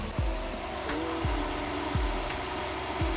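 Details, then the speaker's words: Toyota AE82 Corolla FX16 GTS, 4AGE, after radiator upgrade, idling from about 60°F: electric fan kicks on, steady airy whoosh, no rattle, later turns off via controller; radiator cooling fan running normally. "the fan kicked on it works the fan kicked on it works success success the fan works that's awesome"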